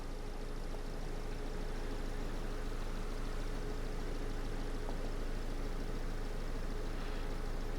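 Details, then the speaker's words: 2002 Ford Focus 1.4 petrol after fixing the cylinder 4 misfire (P0304, P0420): even, steady low idle rumble with no stumble, running smoothly on all cylinders, sounding much better; codes then cleared. "can tell but that's just sounds a million times better"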